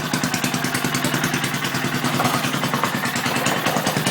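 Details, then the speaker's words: Antique circa-1959 Briggs and Stratton 2HP engine, first start after complete rebuild, carb still needs adjusting, not the right plug or filter yet: quick even popping beat about three firings a second, no knocks; sounds good, later stalls needing more fuel. "sounds good actually going through this rubber"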